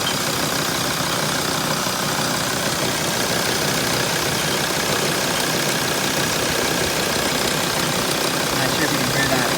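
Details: 2006 T1N diesel idling with a loose, uneven rattle over the diesel clatter and no clear steady beat. The rattle source is not pinned down. Rattle at idle.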